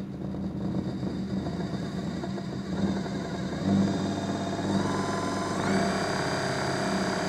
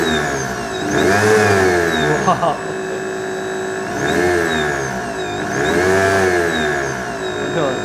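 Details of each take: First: DC motor on a homemade 220 V 4000 W thyristor speed controller, soft start stepping up in speed: smooth run with only mechanical vibration rattle and motor whir, and no electrical hum from the controller. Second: Large DC motor on a homemade 220 V 4000 W thyristor speed controller, started at very low speed then sped up: steady buzzing hum, whine and vibration, blamed on a spiky, poorly smoothed rectified supply far from pure DC.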